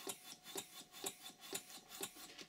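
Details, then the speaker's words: Stuart 5A model steam engine running on compressed air with valve timing set wrong: uneven hissing puffs, about two strong a second with weaker ones between; rough running, to be corrected by moving the eccentric so air is admitted later. "now the engine doesn't sound too good it doesn't like that setting obviously so I'm going to the timing slightly"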